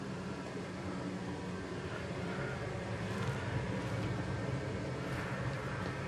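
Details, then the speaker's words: Used, lower-hours oil burner in a Finnish basement, fitted to replace a roughly 15-year-old unit with failing bearings: steady low roar, even rumble, no pulsing, knocking or sputter; running normally, quieter than the old one, and the chimney smoke looked fine. "I don't hear that much noise from this unit, so I guess it's a little bit better now."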